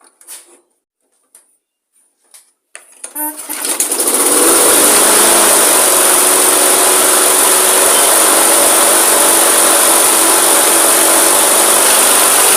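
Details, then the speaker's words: Refurbished old Mosport lawn mower starting after a few pulls: high, screaming steady run; RPM set too high, to be lowered by removing the air filter and resetting the linkages. "Going to start it now, and we're going to remove the air filter and set the RPMs on it. They are a bit too high, so we're just going to bring them down."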